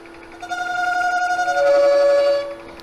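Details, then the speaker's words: Wood lathe at about 500 rpm, negative-rake scraper trimming a bowl on a vacuum chuck: steady hum with a ringing, singing tone during the cut; tool chatter from vibration, reduced by moving the rest closer. "that vibration you hear that sound is a vibration and that's what's causing this"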